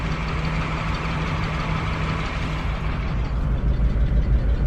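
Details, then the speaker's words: Used station wagon idling in gear (smooth in park), uneven stumble about three dips a second, flashing check engine light indicating misfire, fourth cylinder suspected; engine misfire at idle. "that's the obvious sign that we are still missing what i'm gonna do i'm gonna put my tools on i'm gonna take it down the street see if we get a check engine light on or anything"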